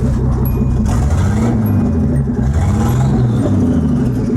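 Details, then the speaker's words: Datsun 280ZX Turbo with about 200,000 miles, hot at roughly 180–195°F: lumpy, uneven chuff with the beat stumbling as a cylinder drops out and the engine shakes; owner suspects injectors on cylinders 1 and 5, likely number five, quit when hot. "so it's cutting out like that it kind I'll go back to normal and it'll kind of go back and forth a little bit but as you can hear sounds like just one of the injectors is not working right now it's probably that number five"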